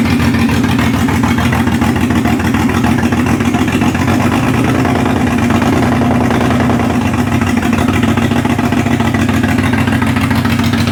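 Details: Ford Barra speedway car running a distributor and a 350 Holley carburetor on the factory intake: lumpy, uneven idle with irregular stumbles about three a second. Rough idle, suspected down a cylinder or two; plug wires suspected, needs a tune-up.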